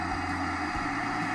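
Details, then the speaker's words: 2005 Daewoo Lanos 1.5 L with misfires, rough idle and Check Engine; cylinder leak-down test on cylinder 3 at compression TDC shows 82% leakage, with a steady hiss of air escaping back through the intake: the intake valve isn't sealing. "дуже гарно чутно що свистить у впуск Отже це каже про те що впускний клапан негерметичний на даному циліндрі"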